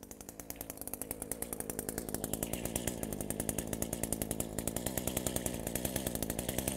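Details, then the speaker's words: Echo two-stroke with low power and no rev, after carburetor rebuild with kit and refitted air filter; idle screw adjusted. Crisp, even idle with regular firing pops, no hunting or stalling; normal idle. "Alright guys, that's it. I just adjusted this little idle screw."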